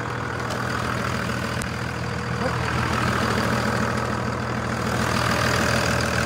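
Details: 2001 Dodge 2500 Cummins diesel with VP44 injection pump: steady even diesel clatter at idle, smooth regular beat, no stumbles or misses; normal idle, fuel supply healthy.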